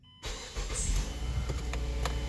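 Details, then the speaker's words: 2008 Mazda6 automatic after shift cable replacement, with the air box, PCV hose and MAF connector reinstalled; started in park with a quick crank, catching cleanly into a smooth, steady idle, a normal healthy start. "Starts in park, which is amazing."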